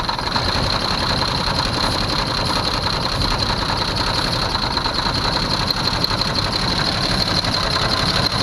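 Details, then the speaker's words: 1982 Jeep Cherokee carbureted engine, first run in years after brake clean sprayed in carburetor: even, steady running with a hissing top end, no knocks or misses. "It doesn't sound too bad."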